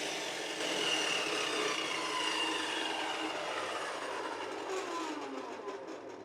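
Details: Rexon BTS10A table saw motor, first run after reassembly with armature skimmed on a lathe and brushes cleaned; clean, steady high whine without sparking crackle or rubbing, winding down smoothly; repair worked.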